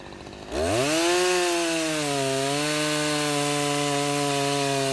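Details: Husqvarna 353 chainsaw after restoration from a basket case (gas line, chain drive, carburetor tuned), full throttle: snaps up from quiet to a clean, steady high scream that holds even without hunting or stumbling; pulling strong and healthy.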